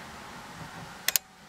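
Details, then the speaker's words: Smart jumper cable module from another brand used on a 6000 A portable jump starter, reading about 15.6 V; two quick sharp relay clicks as the module engages to deliver power, car then starts: normal relay clicking. "okay hear the clicking you hear the module working on the smart cables"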